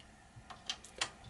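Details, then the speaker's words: Dell XPS M1530 laptop that will not boot: a few sharp, uneven hard drive clicks in a quiet room, like heads seeking and failing; drive suspected damaged or with corrupted/missing files, not confirmed. "I don't know if you can hear that the hard drive is making a weird noise like it's searching for something so it's either damaged or it's missing files it got corrupted or something like that"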